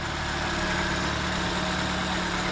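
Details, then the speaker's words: 2004 Nissan Sentra after the fuel injector that caused the misfire was replaced. Earlier coil and spark plug replacement had not cured it. Smooth, even low rumble with no stumble or shake. Normal idle. "cars running real smooth so they replace the coil that wasn't a problem they replaced the spark plugs that wasn't a problem there's a fuel injector was causing the misfiring"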